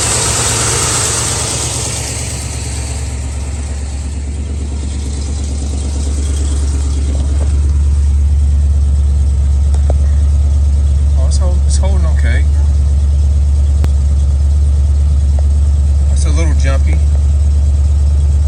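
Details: Ford Mustang V8 with carburetor just set, idling with a slight tremble and uneven beat at night: misfire from a driver-side spark plug wire visibly arcing to ground.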